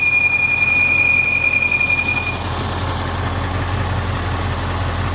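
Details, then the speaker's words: 2014 Bentley Continental GT, Audi/VW engine, idling with dipstick pulled: steady high whistle gives way to loud airy hissing at the dipstick tube, excessive crankcase vacuum pulling air past seals; engine was low on oil, drinking it. "listen to that hissing noise this engine should never be pulling that much vacuum through the crankcase"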